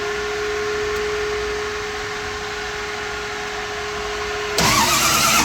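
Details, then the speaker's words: 1965 Mustang V8 among its first runs on a new Holley Sniper EFI and HyperSpark ignition, before the radiator change: steady idle with constant tone, then a louder, fuller burst; running smoothly with no stumble or misfire. "Nice. Wow. Running good."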